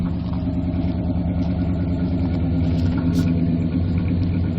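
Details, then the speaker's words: Old Suburban V8 with true dual exhaust, not run in a while, sticky throttle had made it race: deep, steady, evenly loping rumble with no knock or tick; owner thinks it is low on gas; normal V8 idle. "sounds nice and like I said I was wrong it's probably low on gas hasn't been running in a while"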